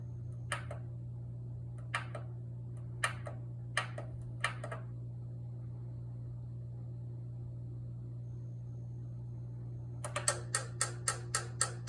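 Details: Kenwood EW7507EK oil-filled radiator heater not working, lights blinking: sharp dry clicks over a low electrical hum, scattered then about four a second, fixed by giving the thermal cutoff switch proper contact with the radiator.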